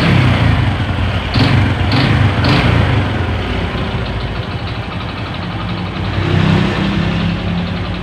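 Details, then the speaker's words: Honda Supra 125 with slipping clutch, hard gear shifts and weak, shaky power: rough idle with loose, uneven clacking knock, three to four a second, likened to a connecting rod knock, plus a slight whine; cause not confirmed. "Oke seperti ini kira-kira suaranya Suara klak klak klak klak ngelitik seperti suara stang dan juga sudah ada suara punggung ya dengungnya di nangisnya cuma sedikit banget"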